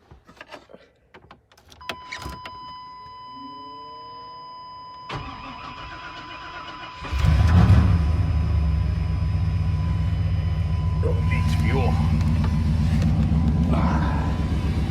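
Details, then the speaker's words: Old lowrider truck, rarely driven lately: chime, brief crank, fires straight away and settles into a steady, even idle; healthy cold start. "This old girl always fires right up though. I love this old piece of shit. No matter what, she always sounds good."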